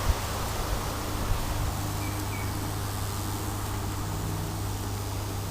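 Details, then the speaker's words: Transformer giving about 35 V, dodgy wiring, used for electrolysis: steady heavy low hum, sounding strained as if into a direct short, shortly before it smoked and burnt out. "I can hear it moves about bubbles where we just got direct shorts somewhere I don't know anyway let's see how this goes I don't really like the sound of it hmm"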